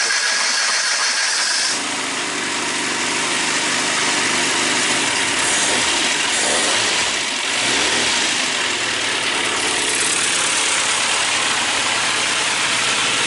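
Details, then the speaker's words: Classic Mini 1293 race engine, cold start on choke after new valve springs, lapped valves and cylinder head fitting: short crank, then busy even idle with no knocks or misfires while warming up. "Right guys, I think it's better to say it's running, so I'll just let it warm up for, I don't know, another minute, and not even that, probably enough time for me to walk over there and turn it off."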